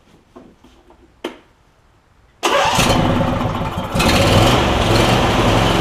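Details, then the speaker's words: Replacement Briggs and Stratton V-twin on a John Deere E140, unrun for probably at least three years, fuel clamp just refitted: a few clicks, then catches into a strong, even run without misses or knocks; slight smoke, possibly oil in muffler; normal running. "it's running really good which is awesome it just seems like it is smoking a tiny bit but again this engine probably hasn't run and goodness knows how long at least three years and it's already running that good"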